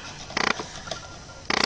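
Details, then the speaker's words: Camera filming a Dell Latitude D620 laptop: two short bursts of fast fine mechanical clicking a second apart as the lens motor hunts and cannot hold focus; autofocus hunting noise. "Oh, wow, it's the first time the camera got in focus, except it can't stay in focus, which is very depressing."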